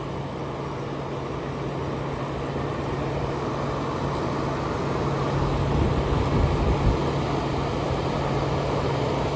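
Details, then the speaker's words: 1994 EQK-rebadged Fedders A2Q10F2BG 10,000 BTU window air conditioner with US-made Rotorex rotary compressor, full charge, on cool setting, heard up close: steady low hum under even fan rush, no rattles or surging; normal running. "Let's hear it starting up. Going to get you guys nice and close. Here we go. Very quiet for a Rotox rotary."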